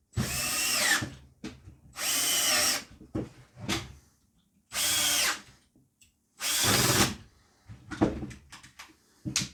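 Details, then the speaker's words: Impact wrench after contact cleaner spray: crisp, even bursts of motor whir with each trigger pull, no sputter or cutting out; running like brand new. "so here we are now going like brand new and all it took was a little bit of contact spray"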